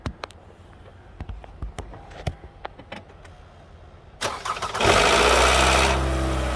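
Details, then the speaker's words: Toyota Highlander 2.7 L engine started up, with Toyota parts on hand for the repair. It cranks and fires with a brief harsh rattle that fades into idle. The rattle comes from the intake cam actuator, a suspected timing chain rattle. "So hopefully you heard that noise. That's the cam intake cam actuator, the whatever you call it."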